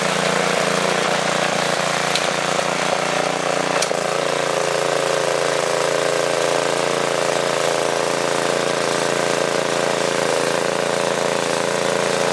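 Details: Tiller's small single-cylinder engine after compressed air cleared debris from the carburettor and the air filter was refitted, in cold weather: steady even buzzing with no misses or surging, running normally after the fix.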